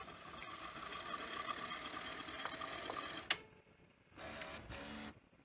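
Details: Panasonic NV-V8000 VHS recorder after front-loading carriage repair: a small motor whirs for a few seconds and ends in a sharp clack, then short whirs, but the tape never runs; carriage may not lower fully, capstan concerning, unconfirmed.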